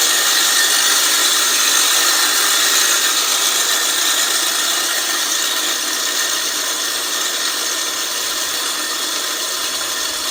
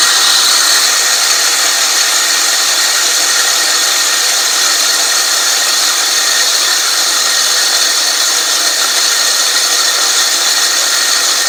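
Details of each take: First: California Trimmer RL20H 20-inch 7-blade reel mower, Honda GX120, backlapping in reverse with drill and compound: gritty grinding hiss eases and quiets as compound wears off and reel spins freer. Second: California Trimmer RL205H 20-inch 7-blade reel mower with a Honda GX120, backlapping in reverse with more 80-grit compound after the reel-to-bedknife screws were tightened. An even hiss and scrape with no knocks or surges shows normal lapping.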